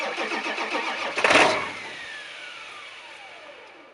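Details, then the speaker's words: 2001 Ford F350 7.3 Powerstroke diesel, 325,000 miles, cold start after 14 hours sitting (27°F overnight, 52°F now): loping, uneven idle with a loud burst on catch, then settles; owner suspects bad injectors, unconfirmed. "as you can tell it does have some pretty nasty cold starts to it but that's the 73 L diesel for you"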